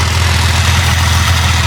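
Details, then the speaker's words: Wrecked Jeep Cherokee engine, once labeled bad, now running after the computer grounds were sorted: smooth, constant cold idle with no rattles, taps or misfires. Some smoke from spilled oil; oil pressure is good; it hasn't warmed up yet. "everything's good running smooth no rattles uh oil presses that's good for now we'll see when it get some heat in it"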